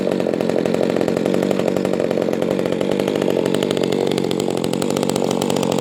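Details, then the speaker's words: Echo 280E top-handle chainsaw, first startup after 10 years unused, fitted with a new bar and chain; even deep buzzing at steady speed with no sputter, misfire or hunting and a good idle, normal running. "she sounds good I love that sound it's a nice deep sound for a small small saw yeah she runs good not bad for not running this whole time"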